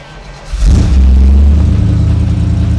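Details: 1962 Impala SS, matching-numbers 327 250 hp V8 with upgraded 4-barrel, Powerglide, dual exhaust: quick crank, then catches into a deep, even burble with a clean rise in revs; runs healthy.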